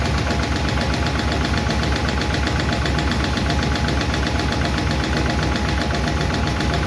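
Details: 1951 Chevy engine idling after first fire-up and valve adjustment: light, slightly uneven clicking about four a second over low rumble; number 4 intake and number 2 exhaust still noisy; valve lifter tick, owner plans re-adjustment.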